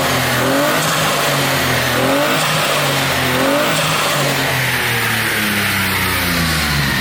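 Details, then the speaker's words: Turbocharged Smart engine first started after new water pump, before final installation: several clean revs rising and settling smoothly with a faint turbo whistle, no knocks; healthy running. "wow what a difference you can actually hear the turbo"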